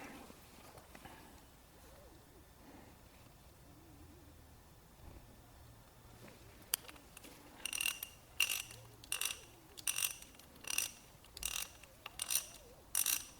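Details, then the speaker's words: Older socket ratchet after disassembly, cleaning and greasing: short bursts of crisp fine clicking, measured about 77.5 dB, much quieter and smoother than before. "right 77.5 a lot less than it did before so what do you guys think sounds great feels fantastic"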